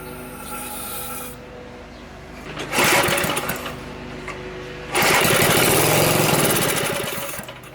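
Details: Small single-cylinder Briggs & Stratton engine, locked up and revived after a stuck coil and sheared flywheel key were fixed, catches twice with quick, even firing and some smoke from added oil; it starts and fires consistently.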